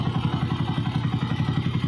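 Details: Motorcycle after replacing timing gear, correcting transmission washers and crankshaft bearings: quick, even thumping about eight beats a second, steady, no clatter or knock; normal running.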